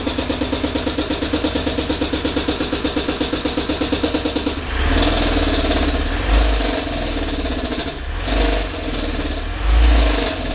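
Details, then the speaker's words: Ford Windstar minivan with a broken connecting rod, before engine replacement: heavy, regular banging in time with the engine, then loud revving with exhaust rasp; rod knock. "this thing is you heard it sounds like absolute [ __ ] I don't think it came over too well on my camera"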